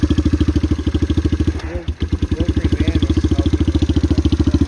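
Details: 1981 Kawasaki KL250 single, probably still cold, idling after valve adjustment, aftermarket exhaust, smokes; thumping idle with sharp tick each beat and brief stumble, valve noise still loud, owner plans to recheck clearances.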